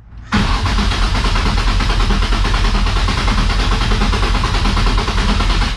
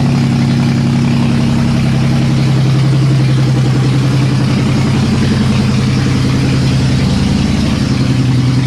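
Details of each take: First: Nissan S13 with swapped VQ35 engine, first-start attempt after refitting the fuel pump, which now audibly primes: about five seconds of steady cranking that never fires; crank no start, owner suspects a fuel-related issue since it fired on brake cleaner. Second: Nissan S13 with VQ35 swap, finally started: even steady idle with loud raw bark from open exhaust; normal running.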